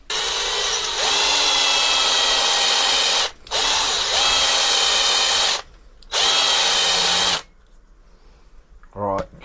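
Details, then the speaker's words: DeWalt Extreme bit drilling at a garage bench for a 24V carp barrow conversion, with WD-40 against heat build-up. Three steady high-pitched bursts hold pitch under load: the bit now bites and cuts, where before it slipped on top without penetrating. "you can see there straight away that's taking, you can hear it. Before it was just basically slipping, the drill bit was just slipping on the top, wasn't penetrating it at all. So this is better."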